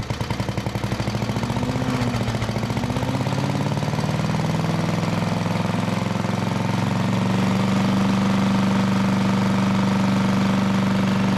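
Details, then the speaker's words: 1973 Briggs & Stratton-powered Giant Vac leaf blower, saved from scrap after years unused with engine seemingly seized, restarted without choke; strong, even drone climbing as it builds speed, pumping lots of air, runs smooth and healthy; throttle linkage still sticky. "oh man that thing is pumping some air man this thing sounds good y'all see it Blow the mat right out the door"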